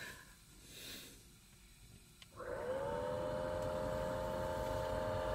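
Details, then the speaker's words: 2016 Honda CR-V, 84,000 miles, key on, owner complains of noisy cabin blower motor (located passenger footwell): blower spins up with rush of air and steady droning whine. Suspected bad blower motor; debris near cabin air filter also considered. "but the other item which the owner mentioned it's noisy blower motor in the cabin so let's go check that together"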